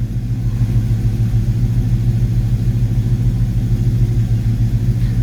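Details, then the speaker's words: Ford Foxbody Mustang V8 after a distributor swap, started with timing at zero: deep rumble with an uneven, loping pulse instead of a smooth idle; running rough, cause not yet pinned down. "still running rough to me"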